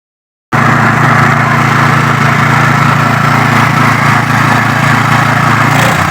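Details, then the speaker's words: Yamaha water pump engine parked about 20 years, started with no fuel in the tank: catches and settles into an even, steady run with no misses, surging or knocking, sounding smooth and healthy. "ๆอันนี้เครื่องติดแล้วนะครับเครื่องจอดไว้ประมาณ20กว่าปีติดแล้วน้ำมันไม่มีนะน้ำมันในถังไม่มี"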